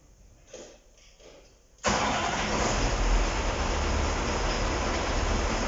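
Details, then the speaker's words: KamAZ-6520 chassis diesel, first start after major overhaul; quiet, then a sudden catch into a steady, even rumble settling at idle, clean healthy start. "Запустили мы двигатель."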